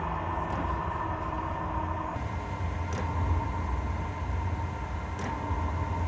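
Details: Chinese diesel air heater running normally when warm, roasting hot, after restart following four to five months unused; steady low combustion rumble under even fan hum, no surging, popping or misfires.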